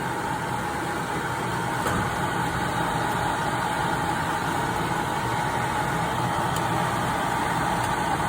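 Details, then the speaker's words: Kyungdong Navien agricultural dryer giving a steady high buzzing alarm over fan and burner rush, error E-1; overheated temperature safety switch (bimetal) tripped and won't reset, cutting power, while the sensor tests fine. "이 가열되면은 이게 안전 스위치가 이게 작동이 됐다는 거야 지금."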